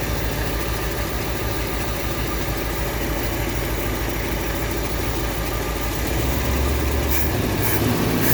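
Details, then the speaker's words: 1959 Ford Fairlane 500 V8, first run in 17 years with a new gas tank, warming up: loping, uneven idle around 200 beats a minute with some wavering; timing not adjusted, timing chain loose, and the carburetor is suspected to be gummed up. Rough idle, cause unconfirmed. "Timing chain's all loose. I'm sure the carburetor's still a bit gummed up because I never took it apart."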